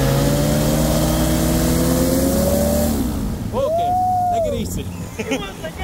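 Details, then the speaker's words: WW1 replica airplane's engine, started after years sitting in a shed, holds a steady, surprisingly quiet buzzy drone, clean and even, then winds down; normal running. "dude it's really quiet I'm just impressed with how quiet it is like I'm telling you and I'm not even like talking loud that's crazy"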